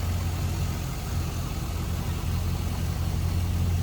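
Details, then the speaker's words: 2005 Chevrolet SSR, 6.0L V8, heard at the front with hood open over a clean engine bay: deep, even burble at idle with steady firing and no knocks, ticks or misses; sounds good, healthy. "Sounds good, looks good, great power plant."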